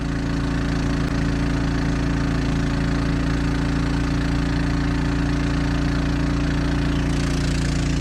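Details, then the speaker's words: Champion 3500 portable generator installed in a 1990 Fleetwood Bounder motorhome, running the roof air conditioner on high: steady, even low hum, quieter under this load than at idle, no knocks or surges; normal running under load. "there it's running quieter running an air conditioner than it would be if it was sitting out here idling so that's pretty good too"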